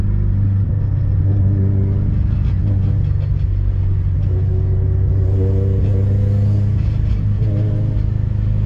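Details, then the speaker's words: Subaru wagon, about 600whp, non-STI with viscous coupler, driveshaft already replaced without fixing it: heavy low drone while driving, rough rapid chatter or grinding on throttle lift-off and reapply; owner suspects center diff/viscous coupler, later output shaft bearings repaired. "as I let off the throttle and coast and then push the throttle back in you can hear this grinding"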